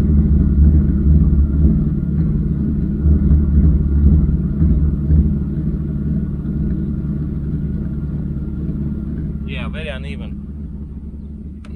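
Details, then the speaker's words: 1993 Mercedes 600SEC V12, warming up and smoking, idles low with an uneven, lumpy, stumbling beat from misfiring; ignition wires are due for replacement, cause not confirmed. "oh yeah it's smoking now it's like misfiring at this point yeah it's terrible i'm gonna have to shut it down"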